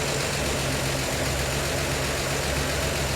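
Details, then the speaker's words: 1952 Chevy Styleline Deluxe petrol engine with Rochester carb, cold idle after freeing a stuck needle that caused overflow; even, steady low rumble, cold so reluctant to rev, no stumbling, carb leak seems to have ceased; normal cold idle. "huh of course it's a little cold so it doesn't want to rev for me but"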